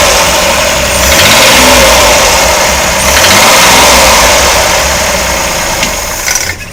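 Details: Chevrolet Corvair air-cooled engine running with belt off; harsh, clattery edge and irregular knock under two brief rev rises, cause unknown.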